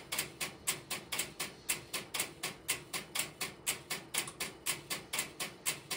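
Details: Idle No. 3 crossbar telephone switching system, camera in its aisles with step-by-step interrupter relays in background: crisp dry relay clicks about once a second, nothing else underneath; normal idle.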